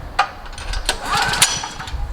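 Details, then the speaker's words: Generac GP 5500 portable generator, several years old, sat for months, hard to start despite fresh 89 octane with Stabil 360 and new spark plug, recoil start on choke; repeated rope pulls turn it over without firing; restarts fine when warm. "the only thing I can promise you about this Generac GP 5500 it will not start on the second or third or fourth or fifth or sixth"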